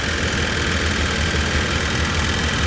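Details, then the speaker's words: 1988 Chevy Suburban, Harrison R4 AC compressor running after recharge, about 190–200 psi high side: steady engine hum with a light fast clickety-clack; normal for R4 compressors even new, nothing to fix. "is still a little bit noisy but those harrison r4 units but they just they kind of make that clickety clack there's just no way around that even brand new"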